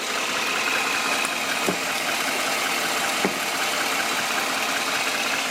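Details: 2013 Chevy Silverado that had no-start trouble, suspected dead battery or bad ground, now fitted with an 800 cold-cranking-amp battery: the engine holds a steady, even idle with no misses, just a faint hiss; running fine.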